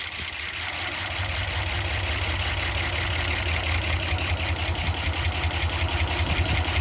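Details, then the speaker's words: 1976 Ford F-250 highboy, just revived after 15 years: lumpy, loping warm-up idle that firms up as it runs; owner waits for one more cylinder to come back around. "I think we need one more cylinder to come back around"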